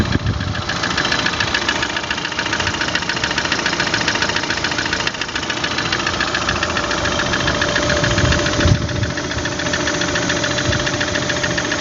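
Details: Engine knock: uneven knocking at about three and a half per second over a rattly idle, coming from inside the engine; cause not known.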